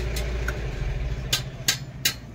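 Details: Mahindra Bolero BS6 diesel pickup after DPF silencer cleaning, previously DPF malfunction warning and high soot mass, not exceeding 60 km/h; steady even idle, low rumble with a few sharp clicks over it; sounds healthy.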